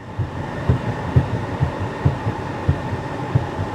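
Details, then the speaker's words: Salvage-auction car that starts but has severe steering play; dull, uneven low thumps about two a second under a steady idle; it sounds like something came off underneath, source unconfirmed. "It sounds like something came off under here is what it sounds like."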